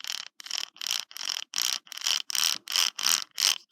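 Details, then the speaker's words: HPI Savage RC differential in a mock setup with unshimmed pinion, gears turned by hand: loose, uneven bursts of bright clicking and rattle, about three a second. Excessive ring and pinion backlash; the pinion side needs shimming inward. "and you know what once these are in here you just kind of take these out so you can hear how loose this is"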